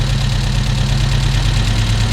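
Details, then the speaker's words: Volvo 145 with Weber carburettors, freshly tuned, started after a few sprays and warm: steady, even low idle with smooth regular beat, no coughing, misses or knocks. Normal idle. "listen to this i love it and it doesn't cough at all"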